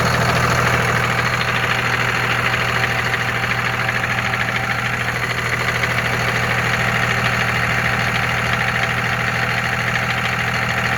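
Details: 2001 Cummins diesel with 5-speed manual; steady diesel clatter with a fast metallic rattle around three per second when taking off and accelerating; rattle source unclear, owner suspects exhaust leak or flywheel.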